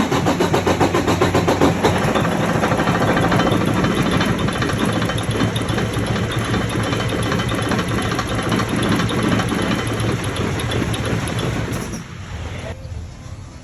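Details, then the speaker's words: 2018 Freightliner with DD15 diesel engine, heard from the top while cranking with filters off: catches, runs rough and hesitates about ten seconds, then dies completely; starts then stalls, cause unknown (fuel filters, pump or injectors considered). "did that sound like crap or what it just kind of started it up hesitated a little bit and it just died off completely"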